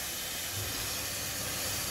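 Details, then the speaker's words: Dodge 2500 Cummins diesel (1999/2001), engine off, intake pressurized with shop air to find a boost leak: steady, airy hiss. Air felt blowing at an intercooler boot that has either slipped off or rubbed a hole. "oh yeah oh yeah i can feel it with my hand it's blowing against my fingers okay right there it is right there right at the end of my fingertips right in there the boot the boot is either slipped off or she's rubbed a hole in it"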